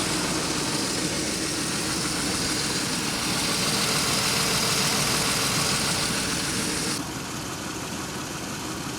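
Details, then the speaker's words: 2003 Pontiac Grand Am GT after upper-end rebuild (new plug wires, vacuum lines connected): idle with a regular uneven stumble about three per second over hiss; skipping at idle though it ran well earlier, cause unknown. "yeah it was running a lot better than this earlier it wasn't skipping a beat now it's skipping for some reason"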